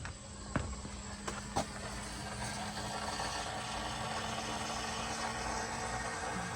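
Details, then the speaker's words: Ford 6.7L diesel truck, ignition on and engine off after replacing a broken fuel water separator valve: faint, even electric hum with a couple of early clicks, the fuel pump priming normally to refill the separator and purge air. "I'm going to wait about 10 seconds just let the fuel pump run help fill the separator back up you can hear it running"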